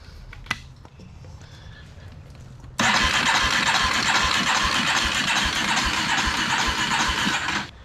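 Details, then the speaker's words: 1987 Yamaha Warrior 350 after long pole-barn storage, new starter, fuel line connected without mounting the tank: cranks steadily about four turns a second for five seconds but never fires; plug test shows weak spark, coil judged bad. No-start from weak ignition spark. "We'll take the spark plug out and see if it sparks for us when we turn it over. Right here. Oh! Come check this coil out right here. See it? Looks like we need a new coil, huh?"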